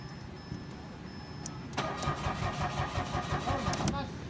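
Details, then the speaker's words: Mitsubishi Mirage, push-start automatic, parked about a week, cranking but no start: starter churns steadily for about two seconds and never fires. Fuel pump motor already replaced. "So Ayun meron ng gas mga sir naikabit na try na nating i-start"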